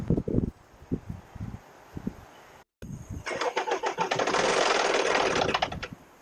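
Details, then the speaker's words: Salvaged non-running Land Rover Discovery Sport, pending heated oxygen sensor fault: a few slow cranking beats then a harsh clattering rough rush as it tries to catch; abnormal noise on starting, cause unclear. "That doesn't sound good at all."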